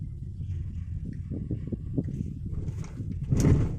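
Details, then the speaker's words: Suzuki Ertiga automatic, front suspension: dull, uneven "kluk" clunks through road rumble while driving over rough pavement and speed bumps. Front CV boot, stabilizer link and shock support were replaced as the fix. "Suaranya itu ada suara kluk kluk kluk kluk kluk kluk kluk gitu sepanjang jalan itu, Sobat. Jadi tidak hanya saat kita terkena polisi tidur ya."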